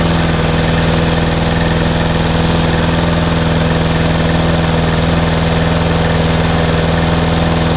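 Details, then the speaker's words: Owner's own mower, sitting all winter, started on a chilly frosty day: a steady, even low putter at about two and a half beats a second with no knocks or misses. It idles healthily while warming up. "as you can hear my little high-tech is now taking over quite nicely in your background just we'll give it a warm up"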